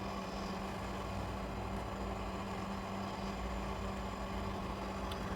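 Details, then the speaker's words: Fridge compressor that had been stuck, now starting. A steady, even low hum with the fan motor and no knocking; the amperage is correct and the discharge pipe is warming. It runs normally. "दोस्तों आप देख सकते हैं compressor की भी आवाज आप सुन सकते हैं और फैन मोटर की आवाज भी आप सुन सकते हैं"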